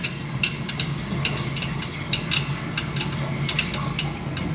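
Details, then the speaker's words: GE dishwasher making a racket, worse when draining and coming and going: steady pump hum with irregular sharp clicks, rattles and grinding as a foreign object bounces around in the drain pump. "so the dishwashers making up a racket here's something bouncing around in there especially when you drain it yeah that grinding I"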